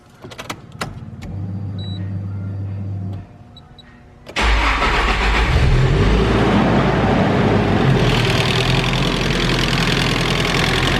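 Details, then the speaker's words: Engine at startup: loud, busy idle with a fast, rough knocking rattle that sounds like rod knock but is not; caused by the timing chain tensioner, already replaced once, letting the chain rattle. "and what it is actually it's the timing chain tensioner so it's actually right there those two bolts that thing I've actually replaced it"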